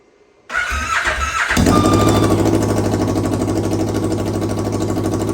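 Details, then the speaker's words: Rebuilt Kawasaki KRX 1000 first test fire with no muffler, good compression but slightly low battery voltage: starter whirs, engine catches at once into a loud, rapid, even open-pipe idle with no knocks; normal idle. "Okay, we're gonna test fire it. Remember, this doesn't have a muffler on it."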